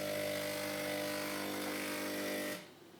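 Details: Hotpoint Ultima WDD960 washer-dryer has started making horrible noises, cause unknown to owner: harsh, buzzing mechanical drone with a strong steady tone, stopping abruptly after about two and a half seconds; abnormal harsh noise.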